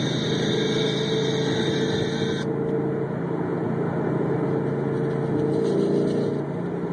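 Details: 2011 Mustang GT 5.0 V8 idling, amplified microphones on each cylinder bank: faint irregular tapping over the hum, a knock hard to pin down; owner's car makes the same noise when cold and suspects piston slap.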